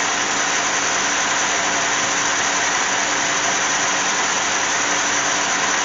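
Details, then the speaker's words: 2007 Cadillac GM 3.6 VVT engine after replacing #1 cylinder fuel injector and coil for a misfire (new spark plugs hadn't fixed it): smooth, even idle with no stumble or skip; sounds good, all cylinders firing cleanly. "let's see if she runs well it sounds okay let's go ahead and double check and make sure these are snug sounds good as hell"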